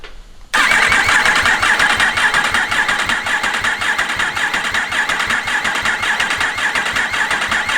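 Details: Freshly rebuilt Yamaha R1 race bike, engine just refitted, in neutral, upper injectors not fitted: steady fast starter whir with even cranking pulses and no firing, cranking to fill oil filter and front oil cooler; sounds healthy.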